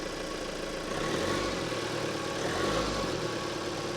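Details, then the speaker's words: Ex-fleet Ford Transit diesel, cold start with slightly weak battery: smooth even idle, steady low drone, no ticking or puffing from the manifold, no blows; exhaust flow checked, DPF not blocked; running healthy. "good stuff mate that does sound well doesn't it there's no blows there"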